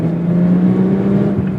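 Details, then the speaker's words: Steady low drone while driving, even pitch with no knocks or grinding, most noticeable around 35–40 mph, with shaking starting near 60 mph; humming suspected from a bad wheel bearing, not confirmed. "so this the main signs you're going to look for is that humming sound um you'll hear it more predominantly in your middle range speeds like between 35 and 40"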